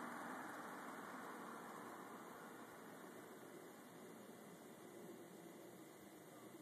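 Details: Telescope stand bearing: a soft, even hiss with no grinding, rumble or ticking; the bearing runs smooth and quiet, normal.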